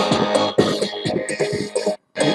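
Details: Phoenix Gold ZX475TI car amplifier under repair with suspected potentiometer faults: music comes through clean and full with no crackle or clipping on this working channel, while the other side sounds saturated.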